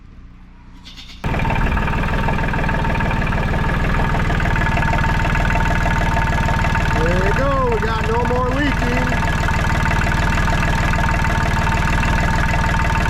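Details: Diesel tractor just after water pump replacement, first start: catches within a second, settles into steady even idle clatter with no misses; healthy.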